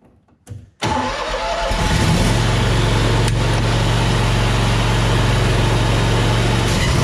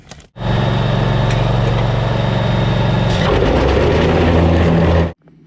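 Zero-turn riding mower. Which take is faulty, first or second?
second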